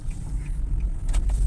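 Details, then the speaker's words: Nissan Grand Livina: steady low droning hum entering the cabin above 60 km/h in third gear, not from a wheel bearing but from a cupped tyre, tread rippled by a worn shock absorber. "tapi ini kita sudah pastikan bahwa suaranya itu bukan dari bearing melainkan dari ban ini bannya udah keriting efek dari shock breakernya ya"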